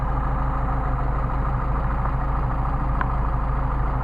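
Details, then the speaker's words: Mercedes 190SL rebuilt Solex carburetors on test after linkage balancing: smooth, even idle, indicated 1,000 rpm but about 800 actual, steady beat, no misses or hunting, crisp rev response; carbs well balanced. "all right and we got a real nice idle we got an indicated 1,000 RPM with tax off so I think we're doing about 800 and this sounds like a real good idle"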